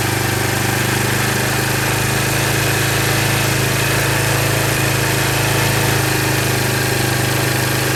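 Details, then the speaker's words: 1999 Kawasaki Prairie 300 ATV, sat 10+ years, first start cold after carburetor cleaning, smoking from fogging oil; steady rough single-cylinder idle with faint rubbing chatter from the drive belt; drive belt noise. "you can hear that belt when i started it the belt was all making some kind of noise so it'd be good to get this thing out rolling around and moving again"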